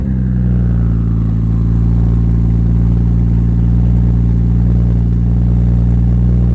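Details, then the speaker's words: Supra, first start after three years of building: steady, deep, even idle with no stumbling. There is a minor exhaust leak at the mid-pipe-to-catback joint because the oversized V-band clamp won't tighten, and a little smoke, probably from mystery oil. "Alright guys, as you can see, sounds pretty good. Have a minor exhaust leak from my mid pipe to the catback because the V-band clamp is actually too big, so it's fully tightened right now, but it's still not tight per se."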